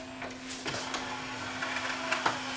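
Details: Yamaha 5-disc CD changer, tray opened during playback: even motor hum with a few light mechanical clicks as the tray travels out smoothly; the loading mechanism sounds healthy.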